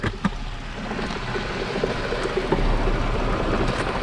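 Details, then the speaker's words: 2006 Chrysler 300 after Blue Devil head gasket sealer, flushing and bleeding, temperature just under half. At idle the coolant reservoir keeps a constant hard gurgle of bubbles, suggesting combustion gas past the head gasket. Cause suspected, not confirmed. "still bubbling in there pretty hard so we'll um go ahead once this thing does this thing for a while and come back"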